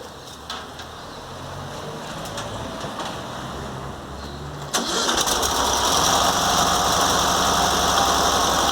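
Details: VW Fusca engine starting and settling to idle with a faint steady whir, from the alternator fan scraping its shroud. Washers were fitted to space the fan away, but some noise remains; cause not confirmed.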